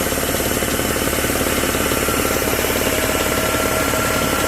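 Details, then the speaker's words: Refrigeration-unit compressor, head said to be barely used, owner suspects something catching in the crankshaft or elsewhere, needs teardown: steady thump about 3.5 beats a second under coarse rattling clatter, intermittent binding suspected, not confirmed. "Зараз качає, що десь там корчи йому раз і підплинює."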